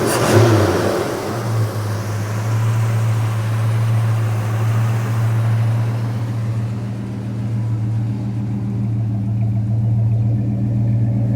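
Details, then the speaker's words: 1977 Chevy Nova Concours V8 after replacing a smashed, leaking carburetor-to-intake gasket, new plugs, wires, cap and rotor, and carb adjustment: throttle blip settles into deep steady idle, no hunting or hiss; normal idle. "Sounds really nice. It's not that bad."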